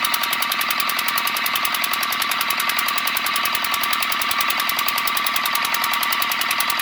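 Rapid, sharp, even metallic ticking runs nonstop over a thin engine note, an abnormal knock with no clear cause yet. Cause suspected, not confirmed.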